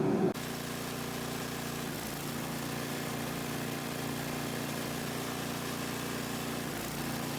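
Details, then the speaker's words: MTD 5/22 two-stage snowblower whose auger belt kept falling off, likely because the auger housing was separating from the body; a nut was added and cinched tight. A steady, even engine drone with no slap, squeal or clatter; after several test runs the belt stays on. "all right as you can see after a handful of test runs the belt stayed on just fine"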